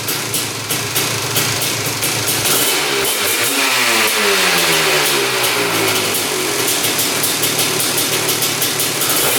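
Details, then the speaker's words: Honda TRX250R two-stroke with 310cc big-bore top end in a TRX450R frame, warmed up: crisp blip drops straight back to steady popping idle without hanging, so no air leak; coolant leak seen, possibly near pipe-to-head joint. "comes right back down to idle. So, no air leak."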